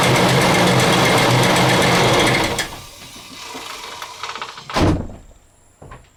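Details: 2000 Ford Expedition 4.6 with a timing chain rattle: rapid, sewing-machine-like clatter over the running engine for a couple of seconds before shutdown, consistent with a worn, rattling timing chain.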